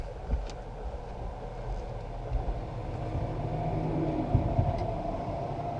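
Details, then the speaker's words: Long-abandoned antique boat with a crusty small-block Chevy, cranked on a third battery after sitting for decades, slightly flooded with a stuck choke: quiet, lumpy low chugging with uneven pulses, rough running on very few cylinders, though closer to starting than before. "hey that was the closest it's been yet that was like more than one cylinder a little more goose I mean it's it's thinking about it"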